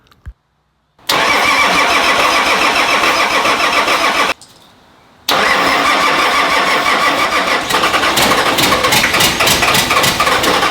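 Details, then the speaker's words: Nissan GQ Patrol diesel, first start in 3.5 years, no coolant in the radiator: silence, a quick crank catching into rough, busy diesel clatter, a pause, then it fires and keeps running. "She started to run. She did start to run."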